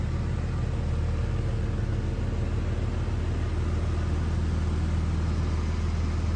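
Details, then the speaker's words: 2001 Jeep Cherokee XJ, 4.0L inline six, automatic, 73k miles, idling: even, steady low rumble with regular beat, no knocks, misses or ticks; runs great, good oil pressure, no overheating. "Motor runs great, oil pressure's good, no overheating."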